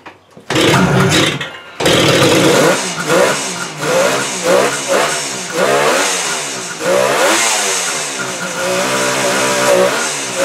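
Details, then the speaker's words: Engine first start after 37 years dormant since 1979, carbs cleaned; fires up and revs somewhat unevenly needing carb tuning, but motor sounds tight with no big rattles. "little car tuning but she's alive that's amazing just totally amazing motor sounds uh nice and tight no big rattles"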